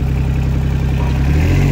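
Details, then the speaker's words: Yanmar YB121U mini excavator, water-cooled three-cylinder diesel, 2796 hours, revs raised after start; revs climb with even, rapid beat, no misses, knocks or rattles, running very smooth, normal revving. "не нажимать а Давай парни оборотов и работает он очень ровно и очень четко"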